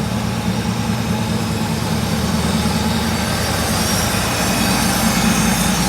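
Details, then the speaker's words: Mercedes 6.9 V8 after a cold start, still warming up: even, heavy rumble held steady but slightly quick, so idle is a little high. Oil pressure is good, the suspension light is off and temperature rises slowly; the owner says it could use a tune-up. "oil pressure's still good idling a little high suspension lights off"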